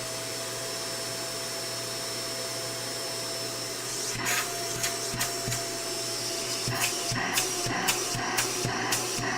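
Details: Shark vacuum being diagnosed for suction loss, tested with hose reattached and wand removed: steady high motor whir with constant tone and even airflow rush, light handling bumps; suction normal at this stage.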